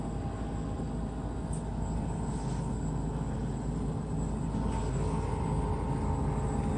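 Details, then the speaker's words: 1987 Lennox Pulse furnace running after pre-purge motor replacement with heavy front cover bolted back on: low steady even rumble, no knocks; noise mostly from the buffer tube, running normally. "most of the noise actually comes from this buffer tube when the system is running i mean it's running just like just like it was before"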